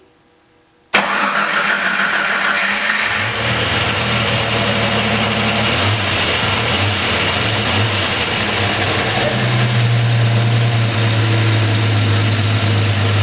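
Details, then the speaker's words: Jeep Cherokee XJ first start-up after repairing its fuel lines, which had kept it from starting, no leaks seen: brief cranking, then it catches cleanly and settles into a steady, even idle; healthy start. "right, so that was great news. You guys saw the thing fire up and it idled pretty well."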